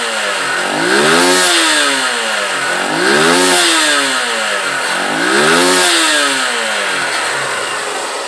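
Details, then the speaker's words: Honda Titan 150 motorcycle after carburetor jet reduced to 115 and engine knocks (cam/balancer, piston skirt suspected) fixed: revs rise smoothly and are held steady without oscillating or the previous tapping; normal revving. "a gente acelera e mantém ela num certo giro para ver se ela vai dar uma oscil e ele foi subindo gradativamente sem sem dar aquela oscil"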